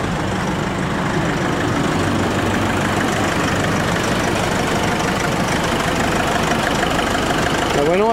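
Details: Diesel just started on a chilly day after fitting new belts, listened to for squeals. A steady idle with an even low clatter and no squeal or chirp. Normal idle so far, only just started.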